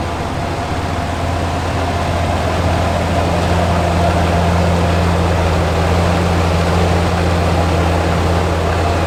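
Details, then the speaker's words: Ram HD Cummins diesel, brand-new replacement engine after original threw a connecting rod at 4000 miles, about 60 miles on it, fresh coolant: startup catching and settling into a steady, even low rumble, no knocking; normal startup and idle. "hopefully i can get a startup for you guys real quick so you guys can listen to it and here's a cool startup brand new comments"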